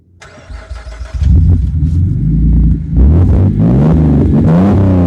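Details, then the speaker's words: Alfa Romeo, microphone on the speaker rather than the exhaust: engine cranks and catches, then the idle wanders up and down instead of settling, a rough, unstable idle after start-up. "as I hope you can hear it doesn't necessarily idle well there we go it gives you false hope"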